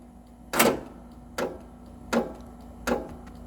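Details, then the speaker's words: 2017 Cub Cadet XT2 46-inch mower, Kohler 24 hp, after key switch replacement: four sharp clicks about every three-quarters of a second, no cranking; owner suspects bad solenoid (recently replaced) or dead battery. "all right since it's not the key switch i might have a bad solenoid but i thought i just replaced the solenoid or my battery could be dead"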